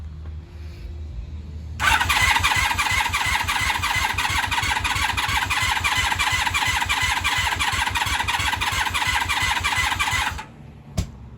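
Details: 1996 Honda Magna 750 VF750CD, battery strength in doubt, owner unsure fuel reserve works: starter turns the engine at an even three or four compressions a second for about eight seconds, never firing; cranks but no start, cause unconfirmed.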